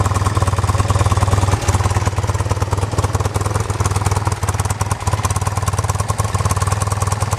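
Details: 1973 BMW R75/5 airhead boxer twin motorcycle with 43,000 miles: steady, even low thump at idle with no knocks, misses or ticking; healthy, smooth tick-over.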